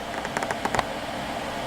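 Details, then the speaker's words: Xbox One with native cooling fan unlocked to 12 V, booting: steady airy rush louder than stock, no rattle or tick; fan running hard and healthy. "you can hear that from back here it's louder than what it was sure but"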